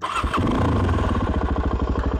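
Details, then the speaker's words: Suzuki DRZ400 single-cylinder after Mikuni-copy carburetor rework: starts straight away and settles to a steady, even idle, no high idle; slight backfire, air idle adjustment to be tweaked; normal start. "But the idle's good. RPM's good at idle. There's no high idle."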